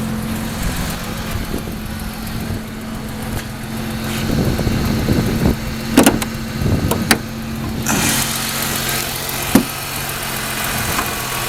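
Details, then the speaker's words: 2001 Ford Mustang 3.8 V6 with sputtering/misfire on sudden throttle, new EGR valve, wires and plugs: at idle a steady even low hum with no misses or knocks, sounding fine. "So, the engine sounds okay to me. It's the way I got it. Sounds okay on idle. Totally fine."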